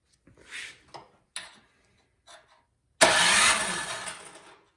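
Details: Craftsman snowblower that won't start: a few short uneven cranking bursts that never catch; spark plug gap found huge but spark present, starting fluid next to test fuel delivery and carburetor.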